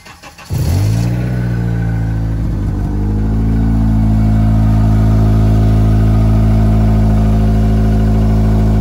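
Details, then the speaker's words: 2005 Acura RSX with check engine light set for a knock sensor code: cold start then steady raised idle with a slightly puffy, ticking edge from a small exhaust leak. "I just wanted to do a cold start on the RSX so you can hear out sounds it's got the little exhaust leak but we're gonna get that fixed hopefully soon"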